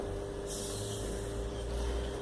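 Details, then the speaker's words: Split air conditioner indoor blower wheel, driven by its small motor on a test stand at 220 V before balancing: steady hum over a heavy low rumble and shake, so the wheel is out of balance. "ahora vamos a probar el balanceo primero la probamos así en bruto está temblando O sea que hay que balancearla"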